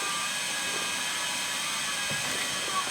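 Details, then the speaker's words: LTO-4 tape drive in an AMD Phenom X4 9600 server mid-backup, after initial back-and-forth shuttling, now writing consistently: quiet, steady high whir and hiss with faint tones, no clicks or stalls; normal streaming. "Oh, yeah, it's consistent now, it's just going. And then we see this number down here slowly start to climb, and it's funny the sounds it makes."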